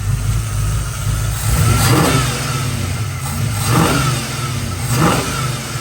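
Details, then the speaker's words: 1970 Ford F-100 with Crown Vic engine swap, new FST 600 CFM double-pumper carb, idle speed raised slightly, automatic: lumpy cam idle with three quick clean blips rising and falling crisply; revs freely, normal. "good it is revving up quick and that sounds really really good"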